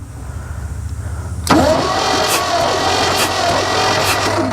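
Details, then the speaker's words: Long-abandoned 1963 Chevrolet C-20 stepside, compression checked with a finger over each spark plug hole: the starter cranks evenly with a steady beat, each stroke pushing back evenly, and all cylinders show good compression. "we have compression on all cylinders that's very good news all right think this is going to be a runner"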